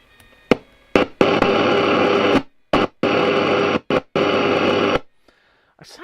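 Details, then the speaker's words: Hacker Sovereign 2 RP25A radio reported as not working: loud hiss bursts cut in and out with silent gaps, changing when the tuning gang is touched. Noisy intermittent reception; a tuning capacitor issue is suspected, with some corrosion near C6. "like it's a tuning issue cuz I I'm just touching the tuning gang which is adding a bit of capacitance in there H sounds like it's a capacitor um issue really"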